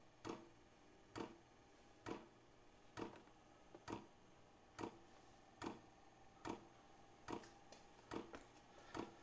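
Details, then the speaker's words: Vevor 5 kW diesel parking heater on kerosene and a 12 V battery, first-ever fuel priming, heat at level 4. Sharp regular ticks about once a second in a quiet garage as the dosing pump primes the line. Normal. "so that's the fuel pump priming it hope you guys can hear that"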